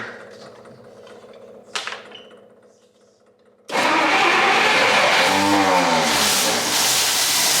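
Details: 1959 Studebaker Lark 259 V8 that sat 36 years, running after an ignition-system fight, with a drip and a belt that may not hold: after a pause it bursts into life and keeps running with a brief rise in speed; sounds healthy.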